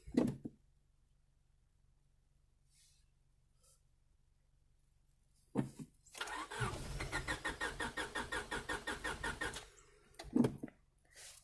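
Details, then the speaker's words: 1998 Honda Civic EX, D16Y8, five-speed manual, auction car: steady rhythmic cranking for about three seconds with no catch, then silence; turns over fine but isn't getting fuel, owner thinks it needs gas. "I swear this thing is close to firing it's right there it is right there come on baby you can do it"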